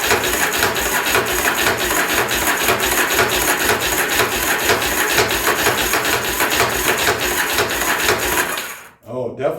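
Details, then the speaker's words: 1983 Yamaha Virago 920 barn find, cranking on a better battery: fast even cranking with loud metallic clatter, never catching; owner unsure whether the starter makes the noise; not getting fuel. "spinning better with that battery um but yeah I don't know if that's the uh starter making all that cotton picking noise or what"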